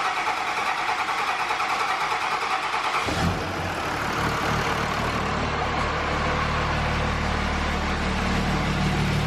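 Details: 2004.5 Cummins diesel pickup after installing Flux 130 HP injectors with 10mm and S400 turbo: cranks, fires about three seconds in and settles into a steady, even, healthy idle with no misses.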